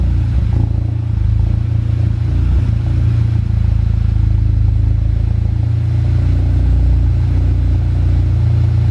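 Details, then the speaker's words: VW Golf GTI after fitting a hybrid IS38 turbo and full exhaust, turbo primed and oil circulated before first start; deep steady idle with even low rumble, no oil or coolant leaks; running cleanly. "right looking good i can't see any corner leaks seems to be running absolutely fine as well so that is good no oil leaks either"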